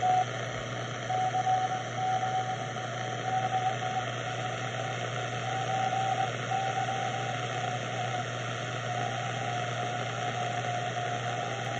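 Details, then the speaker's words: Telefunken Jubilate receiver on the 80 m CW band with a new homemade internal Hartley BFO powered from the 7 VAC dial lamp, loosely coupled to the antenna: clean steady keyed Morse tone over light hiss, no drift; normal. "so a remarkably stable internal bfo based on the Hartley design the simple one Mega feedback resistor"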